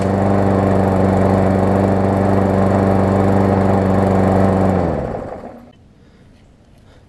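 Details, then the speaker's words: New Murray push mower crushed in box (cracked block, twisted deck), repaired, started with starter fluid: fast single-cylinder drone with light rapid ticking as the blade hits the bent deck, then coast-down. Blade striking bent deck. "so it needs a little starter fluid that I got it to cranked up and run but now I'll let you hear that I've still gotta pull the deck out a little bit because it's hitting with the blade some"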